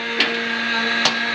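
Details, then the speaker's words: Turbo Vortec 350 small-block Chevy dually truck, bigger fuel pump fitted made it worse; steady electric whine with hissing surges, pressure bouncing on the gauge; owner suspects cavitation and hopes a new suction tube fixes it: fuel pump whine with surging. "we put a bigger fuel pump on it and it seemed to only really make it worse so [Music] you can hear it's mad but it also bounces around on the gauge"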